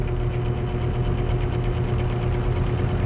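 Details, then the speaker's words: Dirty Lakewood box fan, plugged in without cleaning, on medium: steady low whoosh with faint rhythmic pulsing over a light motor tone; the blade looks a little wobbly. "The blade looks like it's a little wobbly in there, so we'll have to, I don't know if that shows up or not."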